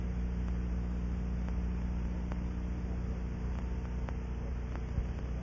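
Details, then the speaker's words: Ultrasonic probe scanning a pressurized aircraft fuel cell coated with liquid leak amplifier: faint, irregular crackling ticks over a steady low hum as leak bubbles collapse at a very small leak. "apply the liquid leak amplifier to the test area and listen for these distinctive sounds using the same gross defined scanning"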